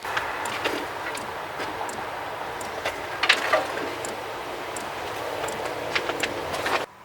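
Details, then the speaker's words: Chinese diesel heater installed in a Toyota Sienna minivan, suspended on wire: soft steady blower rush with light fuel-pump ticks about twice a second, much quieter suspended, blowing very hot air; running normally. "it's so much quieter suspended like that"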